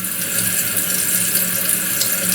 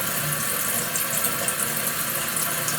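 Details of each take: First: Toilet keeps running after flush: continuous hiss of water into tank never stopping; float not rising fully, flow adjustment fine, water leaks through fill valve; Kohler 83143 seal diaphragm to be replaced. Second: Toilet after fill valve flushed out and Kohler 83143 seal diaphragm replaced: water rushes steadily into tank then shuts off cleanly after about four seconds with a few drips, then silence; fill valve now seals properly.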